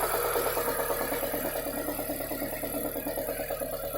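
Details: ZAZ Chance 1.3 petrol engine idling: quick, fairly even tapping about three per second over a thin hum; engine knock, source unclear.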